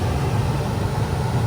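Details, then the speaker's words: Gas furnace in heating mode, blower starting after exhaust fan, igniter and flame: steady, even low hum of the blower running at low heating speed, no rattles or scraping; normal blower running. "okay now everything is normal the heat kick in first after this the fan and usually the fan is running slowly then cooling cooling is high speed"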